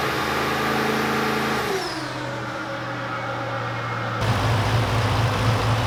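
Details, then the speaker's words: VEE080, a boosted LS drag car, has an even idle hum, but after a blip it turns choppy with irregular stumbles. It's still misfiring after a MAP sensor swap that seemed to point to a VCM scanner channel setting instead. The spark plugs are the next suspect. Unconfirmed. "uh obviously it's still misfiring which we still bring this blog so we're going to sort the plugs out hopefully that sorts it out"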